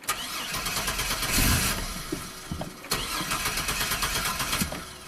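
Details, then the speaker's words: 2002 GMC Sonoma V6 with long-crank and low-power complaint, five fuel pumps fitted, fuel pressure building slowly toward 60 psi: starter churns on and on before it finally fires; hard start from fuel starvation, later traced to a pinched fuel line at the filter. "okay let's crank it over really doesn't want to start up to 60 psi"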